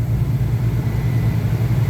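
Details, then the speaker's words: HVAC condensing unit compressor skipping preventive maintenance, drawing about 19 A locked rotor with proper 204–206 V and no contactor voltage drop: heavy low throbbing, uneven hum as if losing a phase internally; compressor internal failure. "I think that we've just got a defective compressor it's an odd issue though because I've I don't know that I've ever seen this one where it sounds like the motor is losing a phase"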